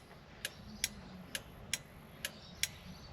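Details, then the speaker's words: Ford XA Falcon flasher can: dry clicks a bit over once per second, slightly uneven, from make-and-break contact points. The indicators had only come on without flashing and it started after being disturbed; the combo switch is very touchy. "You can hear that flashing away in there. All it is is contact points. Make and break points like your ignition points."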